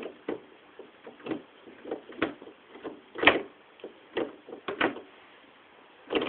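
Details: G25 shifter: soft knocks about every half second as the lever moves through the gates, with no sharp detent clicks; normal, quiet shifter operation.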